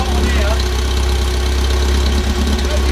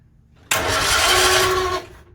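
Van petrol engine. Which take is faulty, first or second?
second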